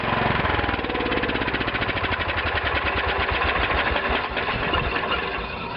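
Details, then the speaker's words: 1989/1990 Wheel Horse 312-8 Classic garden tractor unused 4–5 years, lubricated via oil in cylinder: single-cylinder fires and settles into steady, even chugging; starts and runs, stale fuel yet to be drained. "okay she's a runner"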